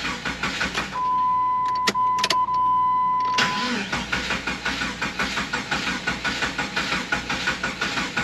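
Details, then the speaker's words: Jeep: key-on chime, then the starter cranks evenly at nearly three beats a second but never catches. It cranks but won't start because the fuel pump relay is missing. "I'm glad I just said what I just said because I promise you I'm not making this up and I don't even know why but the fuel pump relay is just missing"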